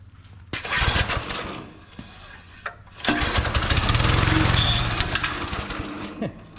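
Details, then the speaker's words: Subaru Hyper Fox go-kart found in a barn, small single-cylinder engine primed with fuel squirted into carburetor, choke on; sputters, catches briefly, then revs unevenly before fading, clogged carburetor needing cleaning and fuel system cleanout. "It does run and it did take off. Hold on, Riley. So now we do know that the carburetor does need to come off and get cleaned up, and we'll start cleaning out the fuel system."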